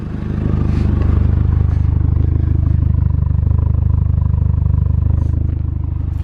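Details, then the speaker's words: $900 MK4 VW GTI four-cylinder after repairs: low, even purr with a steady pulse and no stumbles or hunting; idling smoothly compared with before. "hey guys what's going on this is Josh from spotted euros as you can see the GTI is right here and do you hear that do you hear the purr of that four-cylinder engine"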